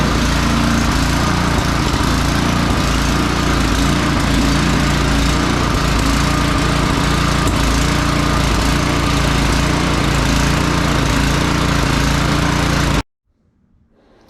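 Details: Free salvaged snow blower, oil checked and tires filled, plugged-in electric start after priming; small single-cylinder engine steady even buzz, no misses or knocks, then clean shutoff; normal running.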